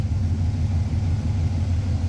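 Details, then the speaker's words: Carburetted engine at idle, auto tune off, idle mixture leaned to 14.7 AFR: low, loping idle rising and falling unevenly, lower vacuum and RPM, unstable AFR, cylinders fuelled differently; lean rough idle. "So you can see the vacuum is lower, the RPM is lower, and AFR is much less stable. It's going to jump all around because at this point it's not moving enough volume. You have different cylinders being fueled differently, and you can see and you can hear it in the exhaust note."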